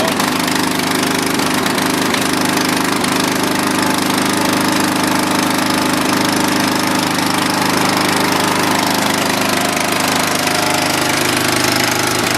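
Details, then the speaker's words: Dynamark riding mower that sat a long time, now with cleaned carburetor, fresh gas and patched tire tubes. The small single-cylinder runs steady and even at fast idle with no misses or knocks: normal running. "well perfect I was worried there for a second but looks like it runs fires up"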